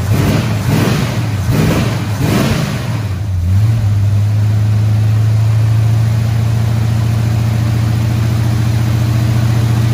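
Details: Squarebody Chevy C20 V8 after correcting a distributor 180 degrees off; a few uneven revs, then a steady, smooth fast idle around 2,000 rpm, no misfire. Run about 15 minutes; valve train later got a little noisy.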